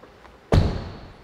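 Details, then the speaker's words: 600,000-mile Lexus LS430 door after latch replacement: one solid, crisp, deep thump as the door shuts with no rattle; the old rattling noise is gone and the new latch engages properly. "that sounds good I'm very happy usually when you replace the latch the door will start making that strong pop because now everything is new and working making the right sounds"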